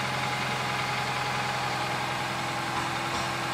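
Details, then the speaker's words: 2008 Nissan Versa CVT with codes P0746 and P0868, after adding NS2 CVT fluid: steady, even idle with a smooth hum and no ticking, the earlier ticking gone; fluid level to be rechecked hot. "Now it sounds better. See? I don't hear any. Remember that ticking sounds?"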